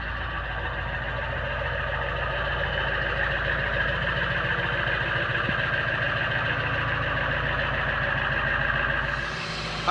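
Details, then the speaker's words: 1999 Ford F250 7.3 Powerstroke diesel, 117,000 miles, cold start at about 15–20°F: steady, even diesel clatter at idle with no misses or knocks. This is a normal, healthy cold-start idle. "so as you can hear cold start but she starts up good starts good runs good"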